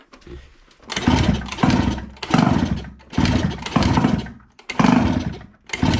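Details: Piaggio Liberty 50 two-stroke air-cooled scooter that wouldn't start, after service with cleaned spark plug and fuel line refilled: fires in short bursts under each kick, catching and buzzing up cleanly; normal start.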